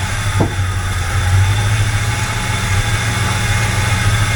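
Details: 1985 K20 V8 after fitting an Edelbrock 1906 AVS II carburetor, only idle mixture screws adjusted: starts quickly instead of cranking long, then a smooth, even idle with a steady low rumble and no misses or hunting.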